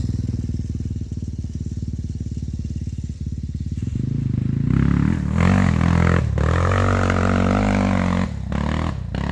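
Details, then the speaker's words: Yamaha Warrior 350 single-cylinder after valve adjustment (exhaust ~0.18, intake ~0.08) and refitting a missing intake adjuster bolt that had caused a head tick; engine thumps steadily and pulls cleanly under load, no ticking, running normally. "uh that sounds a lot better"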